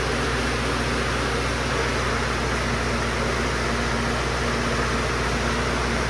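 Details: FMC M10000 air conditioner started and run with the doors opened and dampers set: even, steady rush of air and fan noise over a low hum, no rattles or surging. Unit runs normally and healthy.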